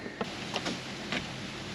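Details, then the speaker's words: 2012 Chevrolet Captiva with no-crank no-start, fresh battery fitted: few sharp single starter clicks on key turn with no cranking, louder click with more power; engine found completely seized. "well it sounds like it has power going to the starter cuz you can hear it click let's put more juice on it and see what happens more power slightly louder click but no no click click click click click"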